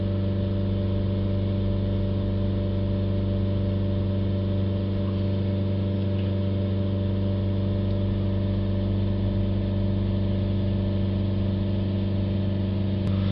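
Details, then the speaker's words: BMW 320d after turbo failure and new turbo, blocked DPF cleaned, revs held around 3000 rising toward 4000 rpm while charting DPF pressure: steady even diesel drone, no knocks, rattles or surging; runs smoothly. "We'll hold the revs back up again, 3000 RPM, and we'll try and keep an eye on the DPF pressure. Again, it's really hard to keep the revs, it's getting closer to 4000 there."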